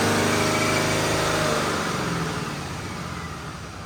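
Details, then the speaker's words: Stock 2020 Cummins automatic on a chassis dyno, airbox back in: one clean, even full-throttle pull, then a smooth coast-down with no stumble, misfire or surging; about 327 hp and nearly 800 lb-ft around 1800 rpm, possibly not in lockup. "But that was a nice smooth pull on that one."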